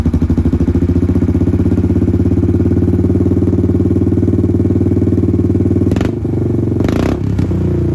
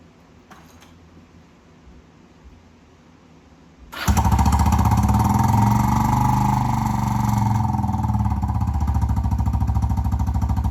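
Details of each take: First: Kawasaki Prairie 300 ATV single-cylinder with a new $40 Amazon slip-on muffler replacing the gutted stock one: strong, even low thump at a steady rhythm, no clatter or misses, a healthy exhaust note likened to an FMF Powercore. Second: Kawasaki Prairie 300 ATV before the muffler swap, with a modded stock muffler that has its internals and spark arrestor removed. It fires up and revs with a harsh, buzzy rasp over rapid even pulses, loud and raspy.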